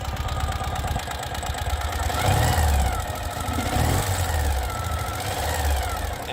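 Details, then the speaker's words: 2018 Ural Retro sidecar motorcycle, fuel-injected twin, ultra-low mileage, warmed up, in neutral: gentle blips rise and fall cleanly and settle back to smooth idle; normal, smooth, responsive free revs. "it's very very smooth and responsive which is what we love to see"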